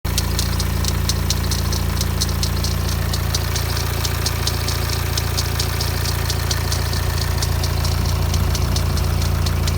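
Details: BMW 116d diesel at idle: a light, fast metallic ticking, about three or four a second, first thought to be timing chain rattle. It comes from the idler pulley near the alternator and stopped instantly when sprayed with WD40.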